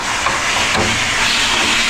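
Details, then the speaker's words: After installing a new water heater and refilling the tank, sink tap open: steady hiss of rushing air with sputtering as trapped air bleeds out of the pipes. "After you fill up the tank, go to the sink, turn on the water so we can get the air out of the pipe, the air out of the pipe. After a while, you're gonna hear some air coming out."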